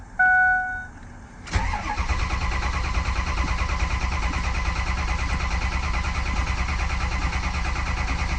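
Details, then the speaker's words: Ford 6.0 Power Stroke diesel just after replacing #8 fuel injector: chime, one crank, quick catch into even steady idle; exhaust blowing perfectly smooth, the miss heard before is gone; normal start and idle. "Pretty smooth. Yeah, this is sounding a lot nicer. We take a listen to the exhaust. Yeah, that is sounding way, way better. Yeah, and the exhaust is blowing out perfectly smooth."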